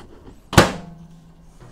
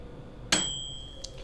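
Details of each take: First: Cheapest microwave heating 12 ounces of water, powered from cheapest LiFePO4 battery via modified sine wave inverter: door thunk, then coarse, buzzy low hum, louder than usual, as expected versus pure sine wave. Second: Cheap 600 W-rated camper microwave, drawing almost 1000 W, run two minutes on a LiFePO4 battery via inverter: single bright ding fading over a second; normal end-of-timer bell, water heated to about 133.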